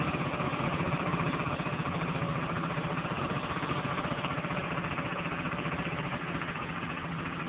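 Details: Honda Dio-2 50cc two-stroke scooter, stock piston, rings and bore, with HHO cell module fitted: steady, even putter about four beats per second, no knocks or misses; healthy normal idle.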